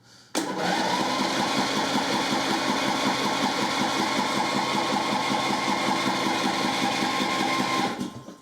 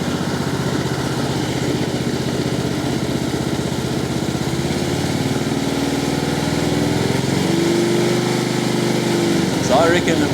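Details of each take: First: Husqvarna LT1538/LT1597 lawn tractor with a replacement engine, choke on and throttle closed, cranking but not starting: steady starter cranking at about 2.5 beats a second, never catches; owner suspects fuel isn't getting through yet and plans quick-start spray before checking spark. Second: Husqvarna LT1538/LT1597 lawn tractor with a replacement engine and rebuilt muffler, idling with the hood off: steady, even chug with a slight rise in revs near the end, no knocks or misses; engine sounds healthy.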